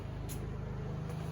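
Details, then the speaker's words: Honda EU2000i inverter generator after carburetor gaskets, previously swapped, were put in correct places, running a 1500 W heater load for about 10 minutes: steady even low hum, no surging or stumbling; normal running under load. "generator even seems to be running way nicer for sure not choking itself out it's even going about 10 minutes now"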